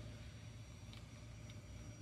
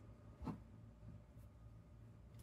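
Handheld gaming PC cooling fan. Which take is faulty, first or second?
second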